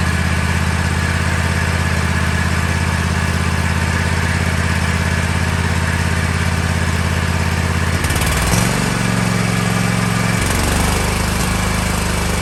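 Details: Kohler 7000 Series KT735 24 hp engine on a Toro MX5050 zero-turn mower, after new fuel filter and fuel pump, before carburetor swap: uneven, stumbling sputter with irregular misses; misfire later traced to faulty no-name spark plugs.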